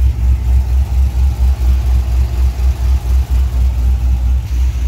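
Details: Cadillac CTS-V LS V8 with healthy aftermarket cam and rusty Flowmaster mufflers, heard from the rear: deep, lumpy idle with even rolling lope, about four pulses a second from the tailpipe; running healthy.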